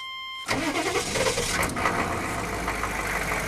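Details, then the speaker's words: 1994 6.5 turbo diesel that sat about six years, restarted on glow plugs; brief crank, then it catches right away and settles into a steady, even clatter, a healthy start, though the lift pump was later found not running. "look at how nice that fires up run smooth"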